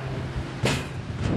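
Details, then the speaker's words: Watchet level crossing gate with a damaged shock absorber, let go by a person passing through: two sharp metallic bangs about half a second apart as the gate swings and slams, over low background rumble; gate clunk when opened. "this is the gate with a damaged shock absorber and most people would just come through and let the gate go and that's a noise you here"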